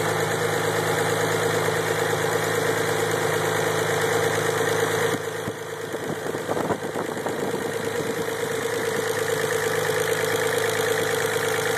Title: 3 no noise after start up idle